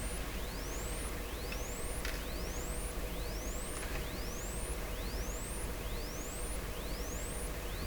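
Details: 1929 Templetone radio speaker, field and voice coil test with generator signal at maximum and low field coil current: thin rising tone sweeps repeat about once a second, faint over hiss; cone detached, so the speaker barely puts out the signal.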